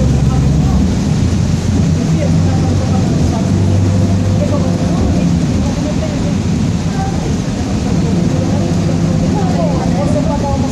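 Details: 2007 Grande Londrina 1110 Torino bus on Mercedes-Benz OF-1722M chassis, line 505, recorded 2021, onboard while cruising: low rumbling growl under diesel drone and road noise; rear differential growling.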